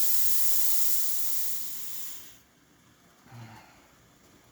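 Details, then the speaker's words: La Pavoni Stradivari espresso machine after full service, steam wand open: strong, even hiss for about two seconds, then a clean shut-off. Steady steam output, working normally. "As you can hear, it's pretty nice and steady."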